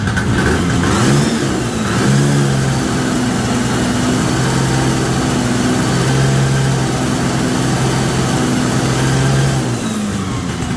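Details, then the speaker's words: 1973 Columbia snowmobile two-stroke, after reconnecting the crankcase pulse line to the rebuilt diaphragm carburetor. Settles into a steady, buzzy idle with even firing and no misses or knocks: normal idle, resurrected after about 15 years. "So, gonna open some doors and get some fresh air in here, but she runs."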